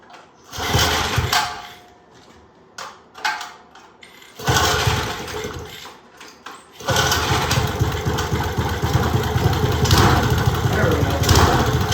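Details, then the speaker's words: Old Briggs & Stratton single-cylinder go-kart engine, sat outside 8+ years, sand-contaminated tank: catches, hunts up and down and dies back before a ragged run; surging, suspected fuel starvation from float bowl. "Sounds like the fuel starvation problem to me. But yeah, it runs on there and it wanted to move the bike. Well, the bowl fell back up for a few seconds. That may have been the problem."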